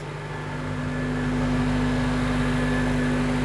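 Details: Honda Element with manual transmission, started for a leak check after a new exhaust, catalytic converter, O2 sensors, serpentine belt, spark plugs and fluids. Quiet, steady idle with a smooth hum and no exhaust ticking or puffing. Normal idle.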